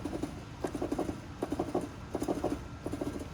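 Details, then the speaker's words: Car whose exhaust hanger rubber has a worn, enlarged hole, rocked by hand. Soft, dull knocks in quick clusters about every three-quarter second. The loose rubber knocks and causes a suspension-like metal rattle on rough roads. "então a borracha isso essa folga esse buraco alargada bosta fica batendo aqui e fazendo um barulhinho você escuta bem baixinho mas é esse barulho batendo"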